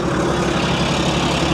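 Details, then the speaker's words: Cheap auction car (Ford Mustang or old Chevy truck) with a full oil level: fast, light ticking over a rough, steady idle, possibly an accessory pulley or top-end chatter. Top-end ticking at idle; cause uncertain. "I can't tell if that's an accessory pulley or if that's like a top end shatter."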